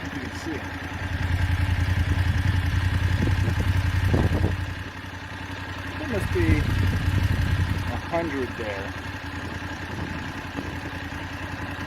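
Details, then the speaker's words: BMW F850GS twin idling with a light, regular ticking over a low hum. The owner says it has always ticked since about 1,500 miles. The clicking seemed louder after topping up low oil, and valves were earlier called noisy. The owner is seeking engine replacement under warranty. "i found it was thirsty i topped it up and it started to make a clicking noise that seemed to be louder after adding the oil"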